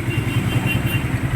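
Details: Small single-cylinder motorcycle (R150 tag) after an intake cam replacement with valve clearance set to 0.10 idles with a steady low putter and no tappet tick; valvetrain quiet and healthy.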